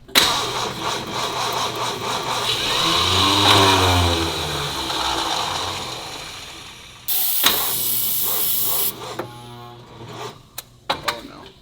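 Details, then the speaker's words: Original one-owner 1962 Lincoln Continental with 14 volts at the battery: starter drags the engine over slowly and unevenly, struggling, never catching; no start, owner suspects the starter is fried. "we have 14 volts so let's just I don't know the starter sounds like it's fried"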